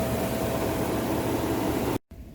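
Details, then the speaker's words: Chevy Silverado V6 held at about 2,500 rpm during a Seafoam spray into the throttle body: smooth, even roar with barely any ticking or knocking, no exhaust smoke; solid, healthy motor. "And this engine, I mean, it's a V6. There's barely any ticks coming out of it, any noises."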